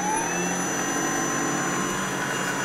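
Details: Allett Stirling battery reel mower with 6-knife spindle, frame reinforced with a welded square-tube strut to cure earlier lower-knife noise: smooth, even high whirr with no rattle or knocking; spindle set correctly, passes paper test.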